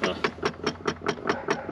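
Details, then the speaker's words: Work van's blend door actuator, located behind the cup holder, clicking randomly with sharp, evenly spaced clicks (about nine in two seconds) in a quiet cabin. The fault has been draining the battery; replacement parts are on hand. "so this thing's having some blendor issues the blendor controls like what switches between feet defroster all that type of stuff uh it's clicking and making a god awul noise and it like will randomly click and it's been killing the battery"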